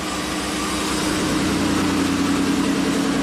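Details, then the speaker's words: 1998 Mitsubishi Montero Sport just after start following timing belt and valve stem seal repairs: steady, even idle with smooth low drone, no knocks or misses; owner thinks valves needed time to seat and engine is in good shape. "Sweet. After doing all those valves, you know, if they're not completely seated, it just took a little while to get compression back, but I think we're in good shape."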